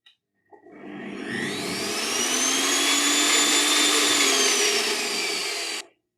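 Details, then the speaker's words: Evolution Rage 5S table saw after 4 years of use, fitted with an added soft start module, low-RPM saw: motor hum rises gently over about a second to a steady whine, then holds even; smooth soft start, healthy running. "Without it, I have to say it was a scary experience when you first started, but with the soft start module, it's a totally different beast."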